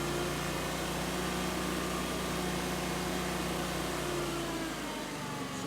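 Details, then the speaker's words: Kawasaki FD620D V-twin on a Toro Wheel Horse 520Lxi mower after replacing the faulty ignition coil; steady, even idle with smooth low pulse, little vibration, no misses; normal idle. "it sounded smooth it didn't really vibrate too much"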